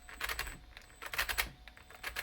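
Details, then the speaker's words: Thunder Tiger TS-4N RC with a new brushless motor upgrade: even at full throttle, short bursts of rapid clicking and chatter instead of a smooth spin, with almost no torque; owner unsure whether motor or ESC is faulty. Gear mesh ruled out. "So the problem I have is when I start it up, the motor has got sod all torque. It just cogs over like that, and you can go full throttle, that's full throttle, and it just does that."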